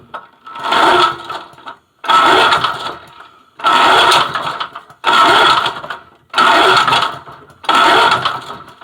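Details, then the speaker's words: Vintage Lawn Chief push mower with points-ignition Briggs & Stratton engine, sat outside for a long time: six free-spinning pull-starts with no firing; spark tester shows no orange glow, so no spark. "alright guys i want you to look down there at that tester there should be an orange glow there's not that means you have no spark"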